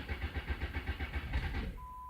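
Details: Jeep that cranks, runs briefly then stalls (alternator suspected): quick low chuffing pulses about eight a second die away within two seconds, then a steady chime. Engine starts and stalls; cause not confirmed.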